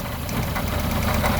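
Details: 1974 Honda Civic series 1 Mk1 with a rough idle, spark plug leads pulled one at a time with a plastic tool: idle pulses stay even with no stumble, so this cylinder is firing properly.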